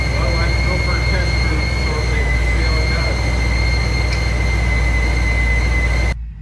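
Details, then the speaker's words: 1956 Ford F-100 with a Powerdyne belt-driven centrifugal supercharger after its failed internal cog drive belt was replaced; steady clean high whistle over deep engine rumble, no rattle or chirp; normal supercharger whine. "We're a little cruise through town here. Sounds good. Lots of whistling."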